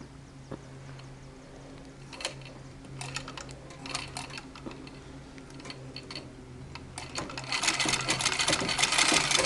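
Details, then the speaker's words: Singer treadle sewing machine with spring coil belt, after adjusting belt guard and guide: treadle spins with a light, even clatter of about three knocks a second from the pitman rod hitting the axle; no belt slap or squeal, normal run. "Now, any of that noise is actually coming from the pitman rod and the way it's hitting the axle, and not from the rest of the machine, and not from the belt."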